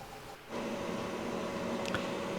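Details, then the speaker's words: Newly fitted Webasto diesel heater in a campervan, first start at home after installation: a quiet room, then a steady, even whir rising after half a second. Normal start-up; it blows cold air first, then quickly hot air. "I'm going to turn it on now, see how long it takes. You can hear it whirring up."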